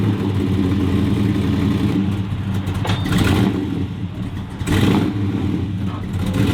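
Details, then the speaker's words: 1957 Chevrolet Bel Air V8, thought to be totally out of adjustment after being taken completely apart; deep, loud burble surges and sags unevenly instead of holding steady, so the engine runs rough. "it doesn't run great that's why it's here for grumpa"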